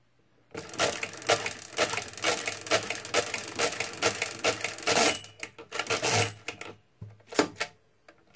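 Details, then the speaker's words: Repaired Marchant XL pinwheel mechanical calculator during division: rapid clattering gear ticks in bursts, then irregular extra clunks as the crank runs past its stop. Overshoot is due to a very light stop detent, forcing the operator to add twice. "sometimes they overshoot because the detent on this is so light it's pretty easy to overshoot then you have to add twice"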